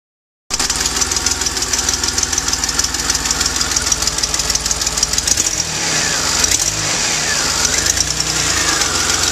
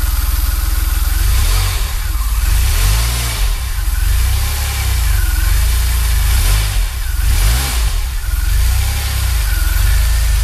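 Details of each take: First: DeLorean idling before repair: rapid ticking puff and uneven stumble from an exhaust leak combined with a bad misfiring spark plug. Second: DeLorean petrol engine after fixing an exhaust leak and bad spark plug: revs up and down smoothly, then settles into a steady even idle with no ticking.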